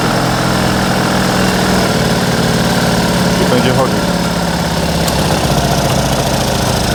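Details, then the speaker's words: Fiat 126p carbureted engine started on petrol, then switching over to lamp kerosene: uneven idle with irregular coughs and sputters over a loud chugging beat, stumbling but staying running. Owner hopes it will smooth out once warm. Rough sputtering idle. "chodzić prycha ale dalej idzie może jak się rozgrzeje to pójdzie"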